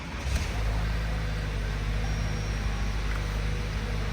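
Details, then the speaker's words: Crash-damaged 2018 Toyota Camry with a swapped engine and coolant not yet filled, which had cranked without starting because of broken electrical wiring: now runs with a steady, even idle drone, no misses or knocks. "ما شايفين شباب السياره اشتغلت امورها تمام"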